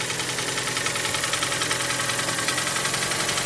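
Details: Hyundai ix35 with G4NA petrol engine, at idle: a sharp steady knock over a bright clattery running sound, caused by piston slap.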